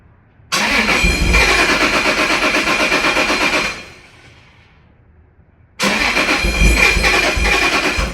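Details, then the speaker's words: Toyota Supra 2JZ making about 520 whp, tuned in warmer Florida weather on different ethanol fuel, cold start on a chilly day: catches, runs unevenly about three seconds, stops, then restarts; rough cold start idle. "So, we're going to start it up. It's a little rough on cold start because it's it's getting a little chilly here."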